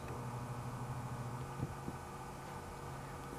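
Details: 1920s Century repulsion-start induction dual-voltage motor, tagged "hums only", spare from a 1926 Frigidaire M52: low steady hum with no run-up; brushes set off their original position, so it won't start.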